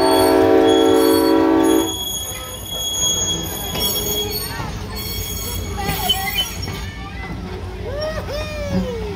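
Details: First run of the year, May 29, 2021, Arcade and Attica line: a horn blast, then high squeals rising and falling as cars roll slowly through; wheels squealing on the rail, suspected to need greasing.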